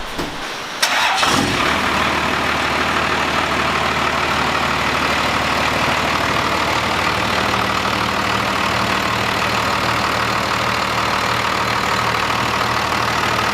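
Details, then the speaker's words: First-gen 12-valve Cummins diesel truck start-up just after installing a Pusher system with new couplings for more boost; short crank, catches straight away, steady even idle without misses or knocks; runs great. "sounds good it definitely it just sounds good the truck always sounds good but it just it runs great"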